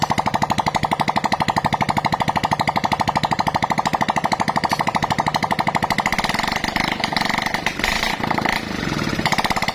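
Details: Freshly assembled Honda Supra-series motorcycle engine, test run with no exhaust fitted; loud, sharp, evenly spaced pops at about three per second from the open pipe, running steadily. Normal running.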